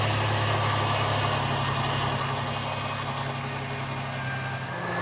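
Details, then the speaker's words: 2007 Jeep Liberty with P0302 and P2305 codes after replacing spark plugs: smooth, steady idle with no stumbles or misfires; repaired. "well there you have it babies silky smooth again"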